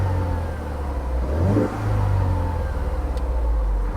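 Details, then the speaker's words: Auction car with transmission in neutral, CV axle torn off, under 100,000 miles: engine holds smooth idle and rises cleanly through blips without misses or knocks; runs well. "it seems to run well I'm not going to really check anything else out on"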